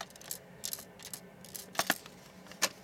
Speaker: that noise is a rattle and if you put this in your VCI you could probably screw it up